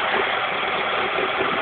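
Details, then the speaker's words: Steady, even petrol idle from a 1991 Vauxhall Astra Mk2 1.4 L just started cold at about 2 degrees, on choke and not yet up on revs; smooth, no knocks or misses, normal cold idle. "Obviously, because she's cold, she's not come up on the revs on the choke just yet. There's the engine."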